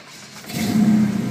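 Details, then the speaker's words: 1972 Chevelle SS with a 502ci RamJet fuel-injected V8 of over 500hp, 400 Turbo automatic and Flowmaster exhausts: started with the key only, no throttle. A short starter whirr, then it catches at once and settles into a strong, steady idle. "Now, starting this car, obviously it is fuel injected, so you do not want to use the gas whatsoever. You just start it like you would cars of today."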